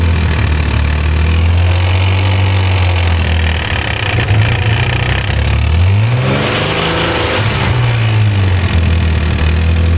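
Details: 1991 Nissan 300ZX petrol engine idling with a light, quick ticking over its steady hum, plus one brief rev; the owner says it is abnormal because his brother's 300ZX doesn't tick, and the cause is unknown.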